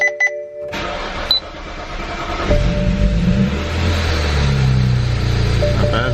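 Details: 2008 BMW E90 335i N54 after valve cover gasket and PCV tube o-ring replacement, fuel rail primed: chimes, brief crank, engine catches and rises to steady even idle; clean healthy start.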